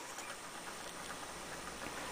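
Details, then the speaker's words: Xbox 360 disc drive grinding as a disc loads, the laser not moving back and forth to read it; a quiet steady whir with faint uneven raspy scrapes. "look at the disc you hear that grinding noise you see the laser it's not moving back and forth like supposed to do read the disc now this is the main problem that happens when you're trying to load a disc"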